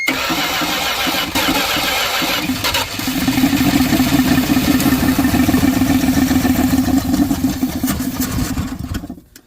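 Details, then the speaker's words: 1979 Dodge truck that sat over 10 years with an engine problem, cranked on a remote starter button with a battery charger attached: sluggish, dragging crank of about three turns a second that fades; voltage too weak. "All right, so threw a little battery boiler on it, left the jump it on. I can't really reach the key and run the gas, so I hooked up our buttony button, and yeah, I know your voltage is weak."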